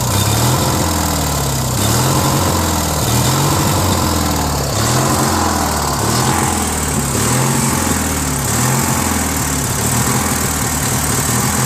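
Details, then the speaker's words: Briggs & Stratton 16 hp opposed-twin on a Murray garden tractor, replacement carburetor, fresh oil: speed rises and falls about every 1.5 s, runs better with choke, lean fuel starvation; full throttle sounds good, Welsh plug later found missing. "Runs good with some choke. It means not enough gas is getting there. Because if it was full air, right, gas should be able to ignite, but because it surges, it's not getting enough gas."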